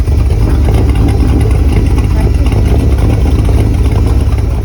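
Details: 1976 Volvo 242 with a swapped Chevy small-block LS 5.3 liter aluminum V8: deep, even burble with quick throttle blips, firing steady and smooth throughout. Normal exhaust note.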